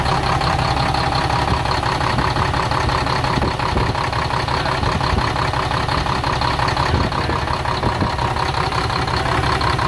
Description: cummins m11 engine first start up after cylinder head, injectors ,rocker assembly and jake brake installed.